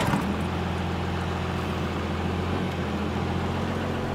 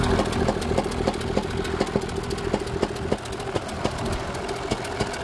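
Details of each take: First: 1985 Dodge W250 crew cab, 12-valve Cummins with V pump, compound turbos and larger intercooler, driving unloaded (not towing); steady low even drone, no knocks or turbo whistle, quiet in cab, a little smoky unloaded; normal diesel running while driving. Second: Crew cab truck after a sudden pop on the freeway, idling: uneven stumble with sharp pops about every second, misfire seeming to pop out of the intake; head gasket suspected, transmission also clunks.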